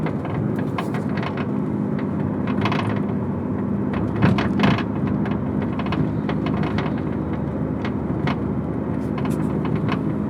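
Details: Rear-area rattle on a 2002 Honda Accord EX: irregular light clicking and rattling over a steady low road and engine hum while driving; cause unknown.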